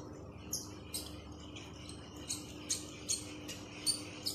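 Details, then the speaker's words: Ultralight fishing reel being hand-cranked: sharp high chirps two to three times a second over a faint hum, an abnormal squeak or noise when the handle is turned, before repair. "Dan reel yang ini masalahnya kalau kita putar itu agak bunyi bro."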